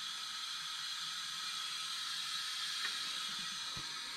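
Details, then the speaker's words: Leak-down test on '51 engine after burnout shutdown at 250 degrees: about 80 in, 65 in cylinder, steady hiss with engine off as air blows into crankcase; cracked head suspected, not confirmed. "yeah i'm at almost 80 and i'm about 65 in the cylinder so i'm blowing on the crankcase over here"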